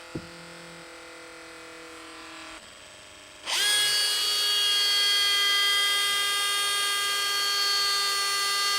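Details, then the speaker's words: Makita cordless hammer drill, fresh battery, run freely, smelling like burning; harsh high-pitched ringing whine under steady load, abnormal motor noise, cause unclear. "but i put a battery in this one and the motor doesn't sound good and it smells like it's about to burn so i want to see if just by having it run for a little bit see if it'll start"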